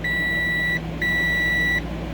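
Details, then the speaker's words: 2003-2006 Ford Expedition XLT no-crank, clicking only: multimeter continuity test on removed relay gives two long steady high beeps; relay good, burnt PCM relay and melted fuse found elsewhere. "once my multimeter makes a sound which you guys going to hear it's going to work that means that my that my uh that my relay works"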